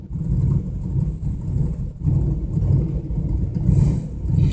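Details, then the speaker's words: Camaro at roughly quarter (20%) throttle: low, uneven surging rumble that dies immediately when throttle is released, unable to hold idle; problem was later found to be a loose motor-to-chassis ground connection. "going to let off. Dies immediately."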